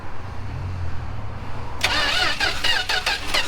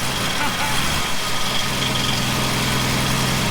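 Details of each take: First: 1967 Plymouth Valiant long-sitting, cylinders fogged with PB Blaster, spark confirmed: starter churns then rapid uneven pops as it tries to catch; penetrating oil in cylinders causing partial firing, not yet running. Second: 1967 Plymouth Valiant first start after years sitting, fuel poured in carburetor, PB Blaster cleared from cylinder: steady low rumble holding even idle under hiss, settling slightly lower; running smoothly.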